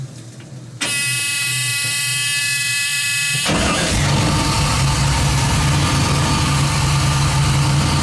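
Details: 1967 Nova with 2002 Camaro LS1 V8, 2010 Camaro in-tank pump run by Fuel On Demand controller holding 58 psi; high pump buzz for a few seconds, then engine fires into a smooth steady idle, pump about 50% duty, 4 A.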